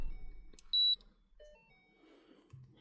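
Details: 2012 Mustang GT in quiet cabin: one sharp high beep about a fifth of a second long, the scan tool confirming erasing trouble codes.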